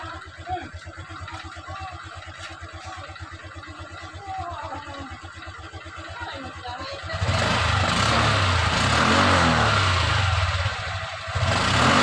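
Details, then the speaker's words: Honda Click 125i scooter after replacing a noisy bearing in the CVT/transmission side: even single-cylinder putter at idle, then a clean rev pickup with no rattle or grind; the noise is gone. "yun oh ang kanyang ingay ay nawawala na mga ka motor h"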